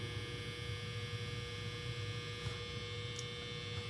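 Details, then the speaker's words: Sony CDP-CX335 300-disc CD changer with a table read error, just after replacing worn internal belts: low steady motor hum with a faint even whir, no scraping or slipping; carousel now turning smoothly on its drive. "All right. Well, I just plugged it in and you can see that the carousel is now moving."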